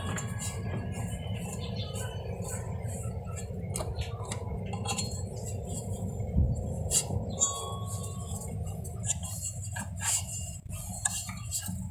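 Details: Panasonic automatic washing machine making metal noise while washing and drying, later fixed; irregular sharp metallic clinks ring out over a low steady drum rumble, something loose knocking metal, cause not yet identified; metallic clinking noise.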